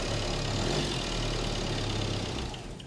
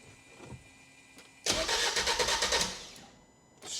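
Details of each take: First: Crash-damaged salvage van's diesel, first crank after priming, catches and settles into a steady, even idle with a smooth low drone and no knocks; vibrates but runs fine, normal idle. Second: Crash-damaged salvage diesel van, long stood, AdBlue system fault shown: starter cranks fast and evenly, about three beats a second, but engine never catches; owner suspects low compression like a rebuilt 2 L, or AdBlue fault stopping it; unconfirmed.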